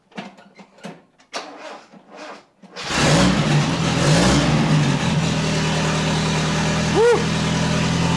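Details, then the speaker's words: Toyota RA28 Fastback Celica being prepared for roadworthy inspection, earlier recording with only half the exhaust pipe fitted; starts into a loud raw raspy drone with a rev blip. Far too loud from the incomplete exhaust. "all right so I did a recording before with the half pipe let's hear that now"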